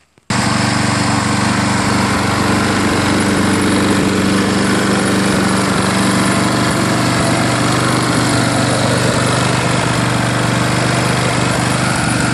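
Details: Craftsman self-propelled push mower with bagger, after fitting a replacement air filter base and primer assembly: steady, loud, even buzzing drone at constant speed with no surging, misfire or knocking; normal running.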